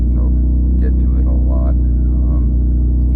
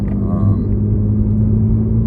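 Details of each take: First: 3rd-gen Mitsubishi Eclipse Spyder GT driving after a new fuel pump, cold start after sitting a week: loud raspy drone with a puffing beat, leak believed behind the engine; exhaust leak. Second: 3G Eclipse Spyder GT with a recently replaced fuel pump, cold start after sitting about a week, fourth drive: a steady low engine drone under road rumble while cruising, even with no misses or surging; the engine runs healthy.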